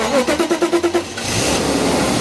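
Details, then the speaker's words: About eight even cranking beats, catch, then unsteady idle with steady airy hiss on a BMW single Vanos engine at first start after Vanos repair; vacuum leak later traced to a damaged hose. "can you hear some air though there's some air coming from somewhere so as you just saw we gave the car a bit of a run but it didn't want to idle properly and and uh we could hear an air leak on the engine"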